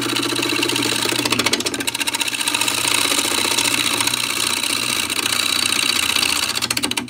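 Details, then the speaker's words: Wood lathe (Laguna 12/16) turning a blank through a gappy area: a choppy, rapid ticking at about four beats a second rides on the cutting hiss as the tool skips over voids in the wood; interrupted cut. "See what's going on here. We're getting into this gappy area. That's why it's making that noise again."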